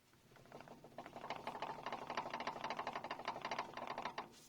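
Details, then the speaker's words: Suzuki Jimny front driveshaft area: a short, tinny metallic rattle chatters fast for a few seconds, then dies away, occurring briefly when pulling away or on long climbs or descents; cause unclear, possibly the front differential, no play felt at the U-joint. "есть звук из понизилась с районного переднего кардана такой дребезжание металлическое что ли но не постоянно бывает кратковременно"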